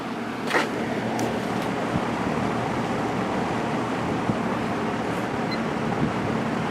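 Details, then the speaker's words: JCPenney 9711 Lakewood three-speed box fan, 3.1 amp GE motor, regularly oiled, out of attic storage: soft steady rush of air on low speed, no ticking, rattle or wobble; calm, smooth, lubrication still good. "and low it's got a pretty calm low speed"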